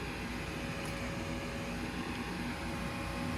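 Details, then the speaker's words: Lennox furnace after 80V to 120V control board conversion, heat call: igniter then steady even whoosh and hum of inducer fan spinning up, no rattles or squeals; normal start-up. "So here comes our igniter. I'm gonna just wait for fan."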